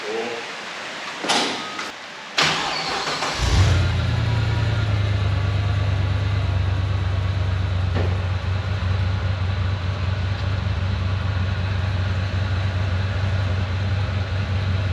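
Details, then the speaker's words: Turbo LS1 V8 in Nissan Patrol GU ute, dead cold start on untuned base map with newly finished exhaust and muffler added: cranking bursts, then catches into deep, steady, even idle, no misses or knocks; deep notes now slightly quieter. "It's definitely taken like just a little bit. Yeah, the loudness out of the deep notes. Like it's not in your chest so much. That sounds tough as. It does, it sounds real good."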